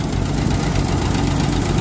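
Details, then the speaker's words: Deep, steady idle with even firing and no misses from a 1946 Dodge Power Wagon seconds after first starting, now getting the fuel it needs after the carburetor was rebuilt. "how about that that sound good it sounds too good now that's freaking awesome"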